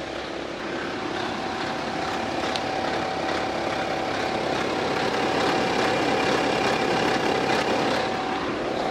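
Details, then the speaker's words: 2011 BMW X3 30d (F25) diesel, N57-type engine, 168,749 km, idling: dry, uneven rattle from the front of the engine as a stretched timing chain, or faulty tensioner, periodically slaps its guide. "영적으로 체인 늘어나서 타이밍 체인 텐셔너 놈 4 문제의 또는 체인의 문제로 채 들어가서 책 가이드 를 주기적으로 친 소음이 나는 거예요"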